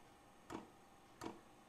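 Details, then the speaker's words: Vevor 5 kW diesel parking heater on kerosene and a 12 V battery, first-ever fuel priming, heat at level 4. Two sharp ticks about 0.7 s apart in a quiet garage from the dosing pump priming. Normal. "that sounded like fuel pump so that's the fuel pump priming it hope you guys can hear"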